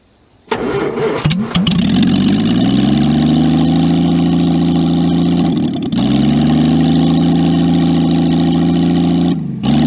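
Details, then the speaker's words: Jaguar XK6 engine in a homemade aluminum boat-tail speedster, first run after a four-year scratch build, tuned in the yard; starts, catches and settles into a steady, even idle with brief blips, smooth and healthy; normal idle. "you'll hear for yourself in a minute here just how good this jaguar xk6 sounds once it's idling"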